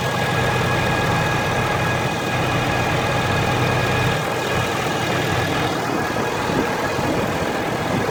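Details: Ford F350 diesel truck, engine and transmission fully warmed up: steady high constant-pitch whine over an even diesel idle, apparently from the top of the engine near the center black box; dealers blame transmission or find nothing, cause unknown.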